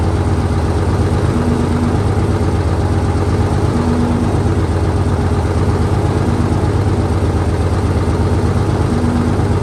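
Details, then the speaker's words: 1968 Dodge C500 truck on a cool day, about 15° colder than before, started via jump from another truck and starting fluid: steady, even low rumble with a consistent beat, no knocks or stumbles; idling smoothly. "So, it took a little shot of Cosby sauce and an extra truck to get her jumped, But she's running."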